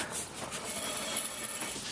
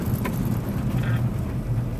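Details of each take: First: 1996 Honda van, rear passenger-side wheel turned by hand with the car raised: dry, hissy metallic scrape with resistance that swells and fades with rotation, absent on the driver side; worn rear brake pads scraping the rotor. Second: Van after rear brake pad replacement on a test drive; previous scraping when braking was from worn-down rear pads; steady low road rumble, no scraping or grinding under braking: normal quiet braking.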